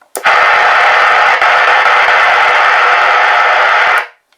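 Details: Realistic TRC-453 radio whose receive audio is very loud and can't be turned down, before repair. Harsh, distorted full-level audio lasts four seconds. The culprit appears to be a ground on the SSB/AM mode/band selector switch near the volume control.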